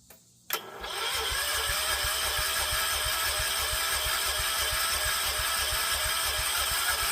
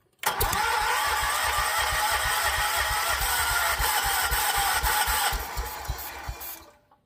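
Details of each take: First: John Deere 314 garden tractor, older (maybe '80s), Kohler K321 single-cylinder after full engine rebuild: even starter chugging about three beats a second, no firing; cranks but won't start from fuel starvation, before swapping in a new carburetor. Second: John Deere 314 garden tractor, older, maybe '80s, with a rebuilt Kohler K321 single-cylinder, warmed up after burning off old oil, still some smoke: steady, even thumping of about four per second until shut off; running healthy.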